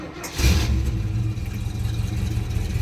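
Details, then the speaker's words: 1979 Rolls-Royce Shadow, cold start after the key is cycled three times for fuel pressure, with the AC off and in Park: a short crank, then it catches at once into a steady, even low rumble, a healthy start. "starts right up so we're going to let this run for a few minutes get everything lubricated make sure it's safe to drive"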